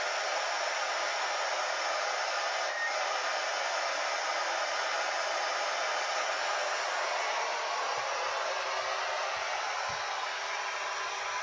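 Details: Yaesu handheld radio on AM 146.825 MHz with a homemade 2-meter yagi: loud, steady hiss with a faint buzzy edge, RF interference from a Samsung computer monitor, the main noise source in the room.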